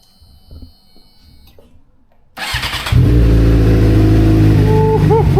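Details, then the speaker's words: 2006 Suzuki GSX-R600 cold start after a starting problem traced to old gas, now with half a tank of fresh 93 octane: short crank, fires cleanly and holds a steady even high cold idle, healthy with no stumbling. "Turns out it was nothing more than old gas. So, I put in about half a tank of fresh 93, and we're about to do a cold start."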